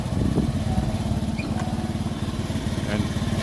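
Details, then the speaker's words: Honda Beat Fi scooter before repair: a low putter with irregular pulses that stutter and drop out at steady mid throttle, recovering at full throttle. It is misfiring at part throttle. "Okay Remus is back mga higala on the beit ifi palyado andarin natin yan para ma marinig yung ano palya nawawala Nawawala yung pag nas gitang throttle ka nawawala makita natin dito sa guli na to yan o nakagitna pumapalya pero pag na isagad mo umaangat"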